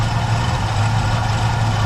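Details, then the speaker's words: 1976 Chevrolet Nova idling while multimeter checks charging after repeated dead batteries, brand new alternator reading about 14.7 V, under 15: low, even smooth rumble, no knocks, whine or misfire; healthy idle, battery confirmed as the fault. "now as the car is going we're going to put the meter on and there you go guys"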